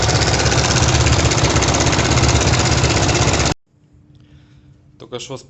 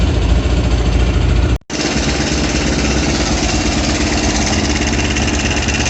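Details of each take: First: Kovi Pro KT, zs177mm single-cylinder, 1300 mileage, 44 engine hours, knocking the day after a ride (clutch play and valves checked fine), "flute" inserted to make it audible: a loud, fast, steady clatter about three a second over idle, then cut off. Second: Kovi Pro KT, zs177mm single-cylinder, after a new timing chain fixed a knock: after a brief dropout, a steady, even idle with no heavy knock or rattle, a healthy engine.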